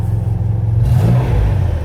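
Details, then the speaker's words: 1981 Ford Capri 2.8 Injection V6, 4-speed manual, after a leaking exhaust was patched with an exhaust repair bandage: deep smooth exhaust rumble rising evenly with revs, no blowing or rasping; exhaust now sealed and sounding right. "just listen to how much nicer this now sounds red you can actually hear the V6 properly now"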